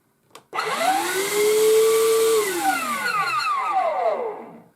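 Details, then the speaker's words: Vax Blade 24 V vacuum motor whirs up with a loud screech that becomes falling squeals, worst as it slows down; sounds like a dry motor bearing, to be lubricated after stripping down. "It's mainly when it's slowing down again. Now it sounds like a really dry bearing, so we're going to get it open and have a look what's going on inside, and hopefully with a bit of lubrication we can cure it."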